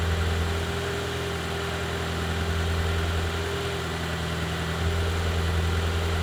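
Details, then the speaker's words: BMW E36 Touring, first start in six months after engine re-gasketing, running with no exhaust fitted: loud raw throbbing bass idle, won't rev as something was left unconnected; leaks coolant and oil. "um that was first start after the re-gasketing of the engine it was first start with no exhaust i thought it's gonna be quieter"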